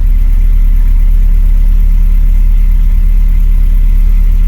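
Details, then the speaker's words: 2001 Mercedes SLK 170 with P202C-8 start error and no crank, after fitting a used ECU, DAS module and ignition lock: starts at once and settles into a steady even low idle, no misses, knocks or hunting; fixed, running normally. "Right, let's try it. Boy! And she lives. Lovely. Sounds good as well."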